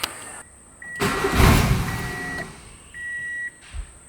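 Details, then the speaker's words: Turbo Honda Civic being tuned, testing whether idle problem is fixed: engine cranks, catches, roars about a second then dies, dash chimes follow; stalls immediately from idle air starvation with throttle shut. "okay um pretty much I was doing a little bit of digging into why it was just stalling out straight away"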